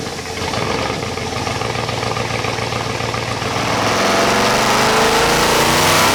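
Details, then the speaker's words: Procharged Chevy SS on a stock automatic at about 50, deep even rumble climbing smoothly with revs, buzzy low drone that sounds like breakup but has no missing beats; the mufflers make it: normal exhaust drone. "like right at 50 now almost sounds like it's breaking up low art like with Revit it sounds like it's like breaking up but it's not the way the mufflers making it sound"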